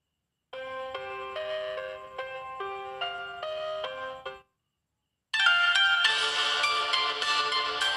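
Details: Redmi 4A after fitting the power IC: a clean, loud ringtone melody with crisp highs and no rattle. The loudspeaker seems louder than the day before and plays normally.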